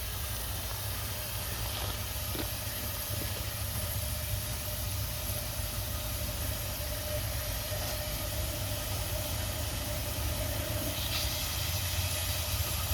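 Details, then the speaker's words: Small marine steam engine on first run attempt with steam: a constant sharp hiss over a low rumble as steam leaks through the bolt holes of the exhaust flange, which is missing two bolts. Steam leak at exhaust flange. "That's a weird way that it's leaking though over here because it's leaking out of the bolt hose."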